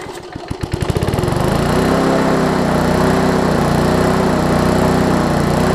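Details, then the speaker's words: Lawn Chief push mower after engine turned 180 degrees and recoil cover installed, air-fuel mix corrected (cold starts need starter fluid): after a few pulls it catches and holds a smooth, steady drone without surging; normal running. "i think part of it was because the air fuel mix was a little off originally but i can show you that the air fuel mix is pretty good right now so we'll go ahead and run it real quick"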